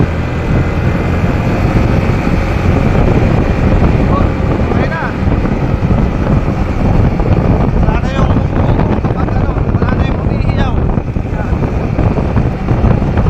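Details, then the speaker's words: Yamaha NMAX scooter after replacing primary drive and bearing: smooth, even engine and road sound through low speeds, the loud noise that appeared from about 20 km/h and faded by 40-50 km/h now gone; normal running after repair. "Hindi na masyadong dinig pero okay na. Wala na yung ano yung yung malakas ng tunog kapag nagt-20 KPH siya."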